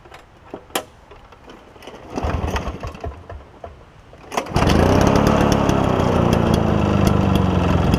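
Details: Toro push mower with a two-stroke engine believed Suzuki-made, first start after carburetor cleaning: catches and settles into a steady high buzzing run easing slightly in pitch; healthy running.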